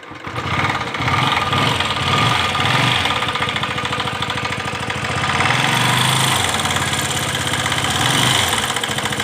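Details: Pulsar 135 motorcycle started and idling cold: uneven, rattly clatter over the exhaust beat; owner says the strange noise occurs only with the engine cold, cause unknown.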